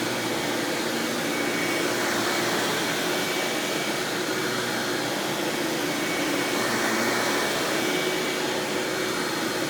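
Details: 1997 Hoover Dirt Finder Power Drive self-propelled upright vacuum, model U6331-930, Elite style, running: steady, even rushing whir at constant pitch, no surging, rattles or scraping; exceptionally smooth, surprisingly quiet, normal running.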